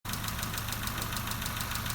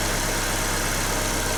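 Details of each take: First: Nissan Note/Tiida 1.4 CR14DE at idle: steady, fast, light ticking a bit over two a second over an even idle; exhaust valve clearances too large, fixed by changing tappets to about 0.34–0.38 mm. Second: Nissan Note/Tiida 1.4 CR14DE idling after valve clearance adjustment, exhaust clearances reset from 0.40–0.50 mm to 0.34–0.38 mm with four thicker tappets fitted: smooth even idle, no top-end ticking, healthy engine.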